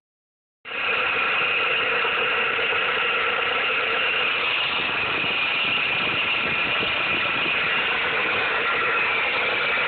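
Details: 2007-2009 Dodge Caliber SXT/SE, 2.0L/2.4L, at idle: a harsh rasping grind with a steady high whine of constant pitch, a loud noise from a failing alternator pulley.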